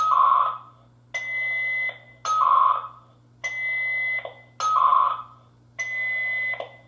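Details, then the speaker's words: Interlogix NX-8v2 alarm panel dialer reporting to Protostar monitoring, programmed for 8 attempts: after the line lost signal, tone bursts about once a second alternate a high beep and a lower tone, repeating without connecting; failed dial attempts. "And the messages should pop up. Oh, and that says the line is now in use. Let's see if we can listen to it. Doesn't seem like it's wanting to work."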